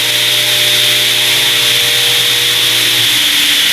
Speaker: Let's see here. Oh, that sounds pretty nice.